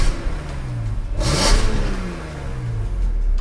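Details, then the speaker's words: BMW M3 E46, fully warmed up with oil and coolant at temperature, blipped from idle: crisp, characteristic metallic rev climbing and falling cleanly with no knocks. VANOS has been revised; the engine is healthy. "This is quite a metallic sound. It's quite characteristic. Nothing else sounds like this out of the factory. Nothing."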